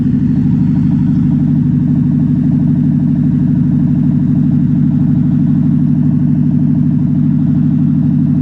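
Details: Toyota Prius with a steady, heavy drone and an even throb about three times a second; the engine runs noticeably loud, cause not evident.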